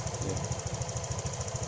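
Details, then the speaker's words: Honda Vario 125 FI scooter after repair of idle RPM fluctuating up and down by itself; now low, evenly spaced putts at a steady, smooth idle with no hunting. "Sekarang putaran mesin saat idle sangat halus."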